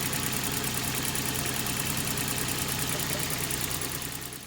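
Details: Idle right after first start following cambelt and water pump replacement: steady with a light, even tick about four per second, no knock or wobble; engine runs smoothly.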